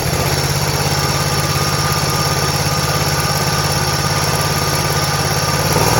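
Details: Toro Z Master 149 mower twin after new ignition coil installed, test run with guards off at low RPM: steady even pulse about three and a half beats a second, no stumbles or misses, running normally.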